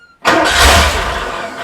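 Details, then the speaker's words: Porsche 928 first start after an engine rebuild, non-running for 18 months, airbox loosely fitted: engine catches but runs ragged with pops and bangs for about 15 seconds. Misfire with popping, cause not yet known. "and there we have it so it's clearly missing on something there a lot of pops and bangs"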